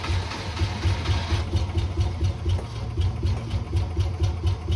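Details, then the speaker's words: Classic car V8 first started on pure ether, then fed gas: low, uneven, lumpy idle surging and sagging about two beats a second, like just waking up; fuel starvation. "well it was running kind of sounded like I do when I first get up in the morning it's uh being troublesome"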